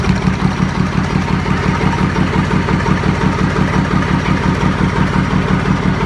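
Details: YaMZ-236 diesel, first start after full overhaul, run on a makeshift test stand with pressure being measured: steady, even idle, evenly spaced firing pulses, low rumble, no knocks or rattles; healthy.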